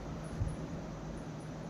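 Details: Samsung semi-automatic washing machine, spin drum after repair: a torn rubber had let the loose drum hit all sides with a "dug dug" noise, and now it runs centred; a smooth, even hum with a faint high whistle and no knocking, a normal spin.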